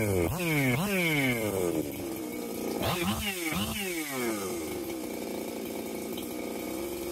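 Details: Husqvarna 262XP chainsaw, first test runs after porting and machine work, muffler mod, carb kit, new pump cover, plug, fuel line and filter: sharp revs climbing and falling cleanly, then steady idle; normal running, ready to cut firewood all day.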